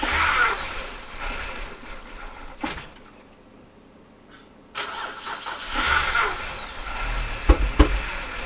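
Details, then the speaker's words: BMW E60 (Copart car) on replacement eBay ECU, no coolant, cam sensor bank 1 code: cranks and catches, dies, restarts into uneven lumpy idle that surges and stumbles; owner suspects garbage fuel, cause unclear. "But it was starting to idle. I think it's just a fuel, just total freaking garbage."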